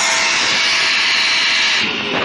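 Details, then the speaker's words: Shark vacuum after emptying the bin and cleaning the screen and hose pathway: shrill, strained sucking whine over the motor roar, easing briefly near the end, still not vacuuming well; clogged airway, blockage lower in the airway. "so this is all cleaned out but it's still sucking when it sucks like that it's not vacuuming good"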